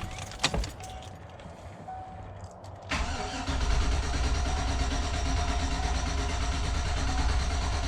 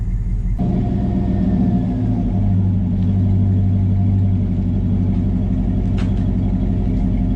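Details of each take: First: 2004 Chevy Tahoe flex-fuel, crank no start: steady low churning crank that never catches, no fuel pressure at the port and no pump noise; bad fuel pump in the mid-mount tank. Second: 2004 Chevy Tahoe flex-fuel after fuel pump repair, engine warming up: mild deep rumble swelling smoothly with revs, no rattles or leaks, from a Thrush single-to-dual exhaust with slash-cut tips; healthy exhaust tone.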